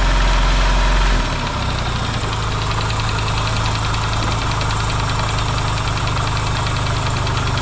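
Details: Yamaha XS650 twin, freshly reinstalled engine, warmed up: brief blip then steady even idle pulse, quiet, no pinging or clatter; smoking, owner hopes break-in. Normal idle.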